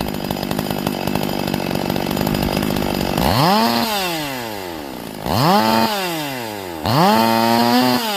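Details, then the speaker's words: Warm chainsaw with manual carburetor, high jet tuning: wide-open 3–5 second bursts, leaned out from rich four-stroking to a high thin scream, marking the too-lean point before richening back. "And what I like to do is have it wide open, and then I'm going to lean it out until it stops four-stroking. I want it to scream."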